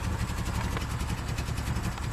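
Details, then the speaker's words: Subaru Outback with a failing fuel pump, after banging on the gas tank: a low, uneven idle that stumbles and never settles, and the gas pedal gives no response, only near-stalling. Fuel starvation. "And gas pedal doesn't do anything at this point. Is running like crap."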